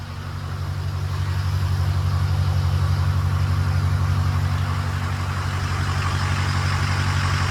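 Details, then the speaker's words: Ford 6.0 Powerstroke diesel just after replacing cracked number 4 injector, first start after fast cranking, puff of smoke: deep, even idle pulsing about three times a second, settling smoothly, no misses; healthy. "Okay, so now we've got an uncracked injector in it. Spit out a little puff."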